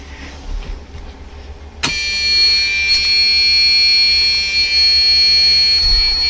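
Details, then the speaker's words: Dust Star motorhome just started, steady high buzzer holding right after startup: low air pressure warning until the pumps fill the air tanks before driving. "these are just air warnings i gotta let the pumps fill them up before i even go anywhere"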